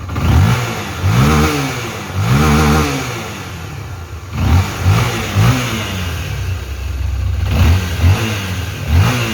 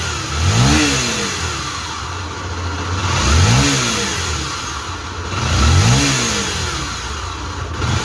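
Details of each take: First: Honda XRE/CB 300 single-cylinder engine after fixing the worn left-side crankshaft main bearing and refitting: revs cleanly on repeated blips and settles to a steady idle, all the earlier noise gone. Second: Honda XRE/CB 300 single-cylinder engine, not the cylinder head, blipped three times: droning hum under each rev from a worn crankshaft main bearing on the magneto/flywheel side, a chronic defect on these bikes.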